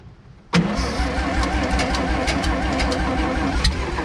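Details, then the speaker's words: Vintage Scoopmobile LD5P articulating loader (thought late 1940s–early 1950s), first start attempt after at least 15 years sitting, reusing an old gasket; starter churns the engine unevenly, trying to catch but never running; owners suspect it was flooded. "Oh. Man. Oh, I think we had it flooded."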